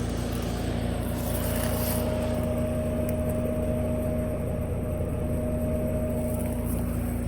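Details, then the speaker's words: Trane outdoor AC unit on a hot day: only a steady fan roar with a faint hum and no compressor note, plus a momentary buzz heard a couple of times. The compressor is not starting; the capacitor was replaced. "Sounds like nothing but a fan. I heard that momentary death buzz a couple of times."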